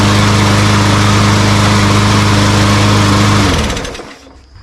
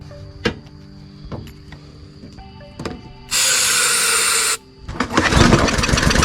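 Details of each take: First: Walmart Hyper Tough push mower that would not start, after carburetor cleaning: small single-cylinder engine holds a steady, even buzz with no misses or surging, then winds down cleanly when shut off; running normally. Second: Walmart Hyper Tough push mower that won't start, fuel looked fine, starting fluid in the intake: a few pull-cranks, then brief fast pops that die out; good compression and spark, so a fuel fault, carburetor to be cleaned.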